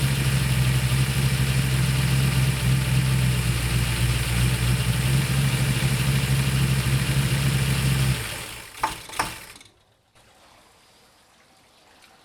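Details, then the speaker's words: Ford 390 FE V8 in a 68/69 Torino GT with new distributor plate: fast, even idle that won't drop even with idle mixture screw fully out; pulls vacuum with throttle closed, dwell and timing okay, cause unknown. "I can't get the I take the screw all the way out doesn't get any slower and it's already pulling back in none of that makes sense"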